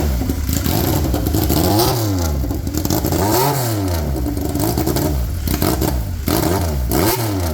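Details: Polaris RZR XP with swapped Yamaha Nytro triple, straight-piped, restarted after clutch setup: loud raw bark with repeated blips and sagging revs, won't hold steady idle; owner thinks idle needs setting.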